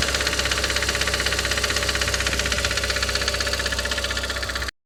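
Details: Audi TT 225hp BAM engine at idle: sharp, even top-end ticking clatter at about four per second. It is still present after replacing the lifters, chain tensioner and full timing. Compression reads 6.5 and 8 bar on two cylinders and 10 bar on the others. Cause undetermined.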